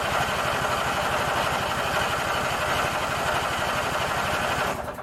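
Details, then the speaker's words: Craftsman 19.5 riding mower after ignition switch replacement; it oddly starts only when the key is released from crank. Fast even cranking catches briefly, then cuts out; owner suspects it flooded. "I think I flooded it [Applause] well you heard it run for a second"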